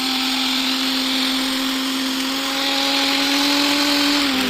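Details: Preethi Blue Leaf mixer grinder after ball bearing and bush replacement and service. Steady high motor whine at one pitch, no rattle or grinding, spinning down cleanly; the bearings sound healthy.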